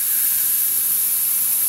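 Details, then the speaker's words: 44-year-old 1978 Hornby G100 Stephenson's Rocket live steam locomotive, never steamed, boiler pressurised with air to about 30 psi for a safety-valve test: steady high hiss from the improvised boiler connection, nothing from the safety valve; air leak at that connection. "The hissing you can hear is from my improvised connection into the boiler, but we haven't got anything from that safety valve."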